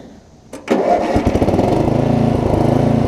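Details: Murray rear-engine riding mower after new drive belt, new blade and straightened deck: quiet, then a sharp crank catches and settles into a steady, even chug around four beats a second; starts and runs healthy.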